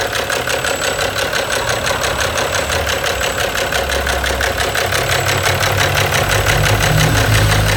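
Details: Steady idle with a regular knock about three times a second over the engine hum; abnormal engine knock, source not identified.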